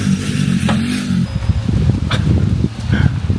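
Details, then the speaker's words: 1975 Jeep CJ5 engine, unrun for over 20 years, being started with gas poured in: it almost catches, then drops to a steady low uneven whir and chatter that keeps running on; starter appears to stay engaged, possibly a bad connection, not confirmed. "it almost started and then it went to this so there's something off with a starter"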